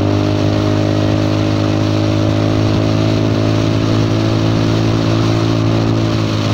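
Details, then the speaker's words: Honda Forza 300 scooter, riding with a cheap Chinese aftermarket exhaust fitted instead of the heavy, hot stock pipe; fuel tuned lean, so it booms. Loud, raspy, blatty drone steady under riding load; the muffler baffle has come loose inside the pipe. "ดังเลยดังจนเสียสมาธิแล้วคราวนี้โอ้ยมีบุ้มด้วยผมจูนน้ำมันไม่หนาเบาแล้วมันจะบุ้มไม่อยากดังขนาดนี้เลยทำไงดีฮะ"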